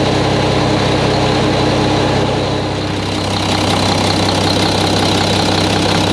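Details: Mack truck diesel engine just reassembled, first start before road test; fluids checked, no leaks seen. Deep steady idle with even beat, no knocks or misses; runs smoothly, normal idle.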